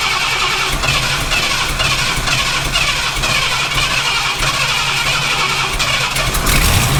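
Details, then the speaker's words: Ford F250 with 460 V8 and new Holley Street Avenger 670 CFM carburetor on first start: fast, busy idle with hissy top end, running too high; vacuum leak suspected though owner believes everything was plugged. Unconfirmed. "okay so we need to figure out why we're running so high it definitely sounds like we've got a vacuum leak although we shouldn't"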